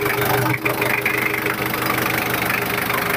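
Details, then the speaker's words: 1996 Daihatsu Taft Independent diesel (not direct injection), heard with the engine bay open at idle: steady even clatter with no misses or knocks, characteristic sound, no blow-by smoke, exhaust clean; normal healthy idle. "masih belum ngobos. Aman. Nah, kenapa dibilang ngobos? Biasa kalau ngobos tuh keluar asap."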